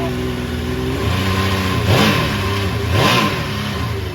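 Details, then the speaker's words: 2005 Yamaha Vector snowmobile running with factory-rattling clutch removed for factory fix kit; smooth even idle with two quick blips, clanking gone, quiet and healthy, slight echo inside trailer. "A lot quieter you can hear the clankings gone now runs nice and smooth nice and quiet"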